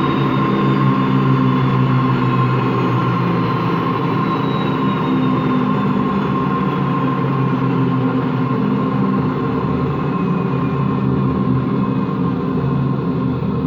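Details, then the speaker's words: Washing machine run empty on rinse and spin: loud constant rough growl with low droning hum, no knocking; drum not loose, owner suspects worn motor or drum bearings, spin not reaching full speed at the end. "Yeah, that sounds like bad bearings. Only that the drum, the bearing is not that bad, so the drum is not loose or anything, but it just makes that growling noise."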